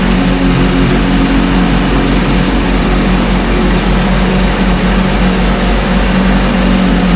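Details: 1968 Evinrude Fastwin two-stroke outboard, first run, just put in a test tank with fuel, no work done: steady even burble, constant low drone, no misses or knocks; running cleanly, healthy.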